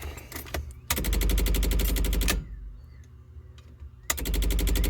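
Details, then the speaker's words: Swapped 81 wagon that died with clattering and smoke while driving; two bursts of fast even clicking, about ten per second, relays chattering because the badly drained battery is dead. "the relays are clicking about. I was going to start taking them out and checking them all, but given that the battery's literally not doing anything, it's shot."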